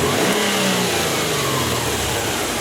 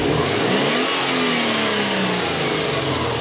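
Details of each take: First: Subaru turbo engine after cleaning a dirty hot-wire MAF sensor (P0171, hesitation on acceleration), snap throttle test from idle: revs rise cleanly and fall back smoothly, no stumble; MAF now shows the initial spike; normal snap throttle. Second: Subaru engine with P0171 lean code and hesitation on acceleration, snap throttle from idle: revs climb briefly then fall back sluggishly; no initial spike on MAF signal, dirty hot-wire mass airflow sensor, fixed by cleaning.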